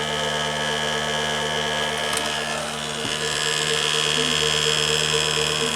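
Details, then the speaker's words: Late-1980s Quasar VH5471-K VCR (Panasonic mechanism) in play mode: steady loud high whine as the capstan motor runs full speed with no speed control; the deck also has an idler problem. "so another customer is like a running full-speed whenever it is supposed to be playing"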